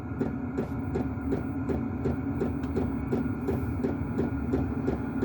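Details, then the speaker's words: Chinese diesel heater newly installed in a workshop, fan speed turned up to high output giving good heat: crisp regular fuel pump ticks about three per second over a soft fan whir; normal pump clicking. "if you want the speed the fan up you knock up the lock up the fan speed there and you'll hear the fan oh sorry the clicking of the pump go faster not sure why it goes up to to be honest"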